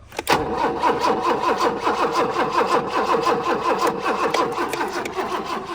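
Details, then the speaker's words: Abandoned BMW E30 with 10-year-old gas, cranking while checking fuel line: strong even starter cranking for several seconds, never catches or fires; line dry, no fuel reaching engine. "Let's uh so is there no fuel no it's dry so it's a fuel issue yeah that's good hahaha still nothing one more time"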